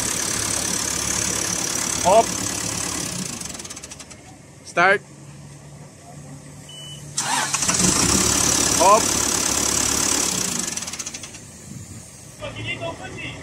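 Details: CAT 428F backhoe hard starting: long cranking spells churning without catching, pause, then another drawn-out try; hydraulic pump with weak pressure suspected as the cause.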